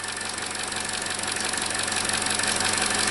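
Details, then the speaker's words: 2017 Chevrolet Trax, 1.4L LUV, P0171 lean code, just after replacing the faulty part found and restarting with no vacuum leak; even idle with light valvetrain tick, sounds better; normal idle. "so to me the engine sounds better on startup already"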